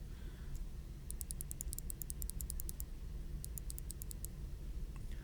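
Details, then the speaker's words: Logitech G604 mouse switch click test comparing original Omron with firmer Kailh 80M replacement switches (original left button double-clicked); crisp clean single clicks, no chatter or bounce; normal microswitch click. "these are kale ADM switches they have a little more firm of a button so you can listen to the click on this Omron"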